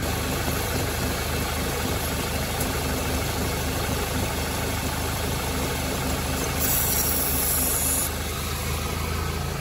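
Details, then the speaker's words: VW engine at idle with excess air (fuel trim about +25%): propane sprayed at the rear near the gearbox changes the running and drops the trim, confirming a vacuum leak at the rear main seal, which needs replacing. "Dzirdām, kā izmainās mašīnas darbība. Un es domāju, ka esmu pilnīgi droši. Ar, kā saka, tīru sirdi varu teikt cilvēkam, ka jābrauc mainīt galvenais tas blīvslēgs aizmugurē kārbas pusē."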